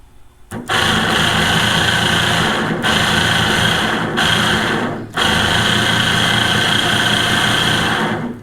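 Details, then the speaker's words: Water-methanol injection pump from a 3rd Gen 4Runner, removed and fed 12 volts directly with a power probe: harsh, gritty grinding buzz; suspected bad bearings or internal fault. "definitely should not sound like that so it sounds kind of grindy I suspect there's a problem for the bearings or something inside of it"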